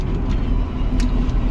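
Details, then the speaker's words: Four-wheel dump truck after adding 20 mm leaf springs, 3 leaves per side, with bounce travel reset front and rear, driven unloaded on a concrete road through a big curve: only a steady low road rumble, no spring knocks or clunks; ride quiet, not stiff. "นะครับไม่แข็งนะครับเนี่ยสาดโค้งใหญ่เลยวิ่งถนนปูนเนี่ยปกติจะต้องมีทั้งๆๆๆตูดกระดกหน่อยๆถูกต้องมั้ยฮะ"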